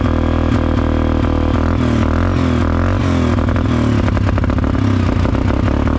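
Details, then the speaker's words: 2011 Suzuki King Quad 750 AXI, first start after a top-end rebuild with timing set, new plug, new battery, fresh coolant and about 1/4 gallon of fuel: it fires unevenly, surging and stumbling with clattery bursts. Old bad fuel possibly remains; rough running. "I don't know what that was. So, it fired and it runs."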